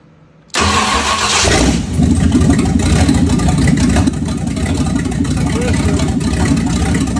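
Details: 1965 Ford Thunderbird FE 390 V8 after troubleshooting no-run issues (ran only when gas poured in): from silence it fires at once, blips up, then settles to an even, strong fast idle; runs healthy.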